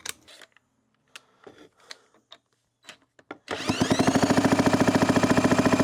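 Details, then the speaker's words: 1991 Kawasaki KX250 two-stroke, non-running parts bike with a messy, just-honed cylinder, kicked over: strong, regular chuffs at about three to four per second; compression sounds beefy, though maybe not enough to start. "Sounds beefy. Definitely sounds like it's got some compression."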